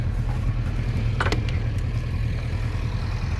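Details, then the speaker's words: 1967 Alfa Romeo Giulia Super with newly installed 1600 Nord engine, warm after a country drive; deep steady burble at idle with a slightly quick pace: fast idle needing adjustment. "Idling a little fast, but we'll adjust that."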